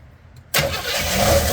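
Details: Chevy S-10 truck with carburetor, sat over 20 years, run on gas poured into the bowl: quiet, then fires at once and holds a ragged idle; no fuel reaching the carburetor, filter or float suspected.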